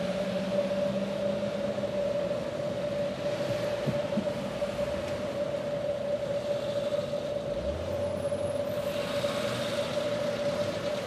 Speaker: First, let's listen to a water leak heard at a fire hydrant without the help of noise reduction technology. The water leak sound is a constant noise, almost like static noise.